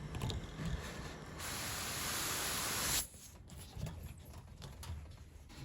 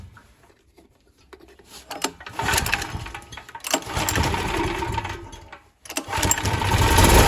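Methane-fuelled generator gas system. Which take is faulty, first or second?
first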